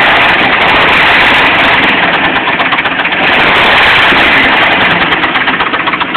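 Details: Jeep Cherokee at steady idle: dull knock about four times a second in time with the engine; owner suspects loose flexplate bolts, unconfirmed; engine knock at idle.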